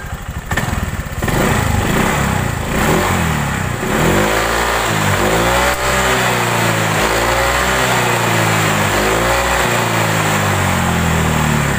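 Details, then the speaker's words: Honda Vario 125 LED scooter: a rough buzzing rattle from the rear under throttle, like a broken roller. The cause is a loose right-side air filter box; CVT rollers were checked and fine. Fix: shim it with inner-tube rubber. "ini akan sangat jelas ketika di bawah Jalan sangat terdengar di bagian belakang seperti suara roller pecah bagian sini di area"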